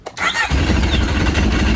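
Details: 1000cc Yamaha RX1 four-stroke snowmobile sat 6 years, after ultrasonic carb cleaning and battery charge: short crank, fires instantly and holds a strong, even idle with no misses or knocks; healthy start.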